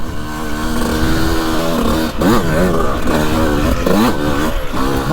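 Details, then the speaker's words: 2002 CR125 two-stroke after port work and carb rejetting: sharp, clean ringing revs rise and drop quickly on each throttle twist with no bogging, pulling strongly; normal revving, now running great. "she is running great now"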